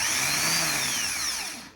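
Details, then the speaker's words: Starter solenoid bench-tested by jumping power via probe at starter connector; high whine spins up and coasts down with no clunk of the gear throwing out; solenoid not engaging, starter pinion gears won't come out, starter needs replacement. "no we've got nothing so we got a couple of problems with this guy so the gears don't want to come out the solenoid is not working properly and does not want to work properly"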